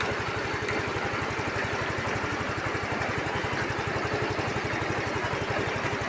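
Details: Yamaha Mio i15 scooter brought in for a no-start with a blown fuse; lights, horn and starter working. Quick, even single-cylinder putter at idle, no misses or knocks; idling cleanly.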